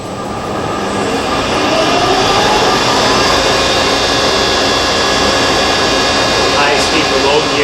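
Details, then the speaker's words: Monarch Merit lathe converted from the original non-working DC drive to an AC drive, with an added cooling fan; steady whir and gear hum at low speed, 370 rpm, no knocks, spindle running smoothly. "so you can hear the uh the cooling fan that i added there"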